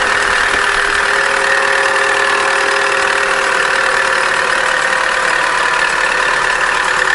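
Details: Opel Corsa D, A14XER 1.4 engine, 65,000 km, idling: busy, steady metallic clatter, noisy while warming up, with errors P0011 and P0014; chain may have been replaced before; suspected stretched timing chain or low oil pressure.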